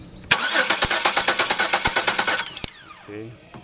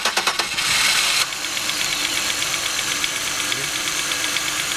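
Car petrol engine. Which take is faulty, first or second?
first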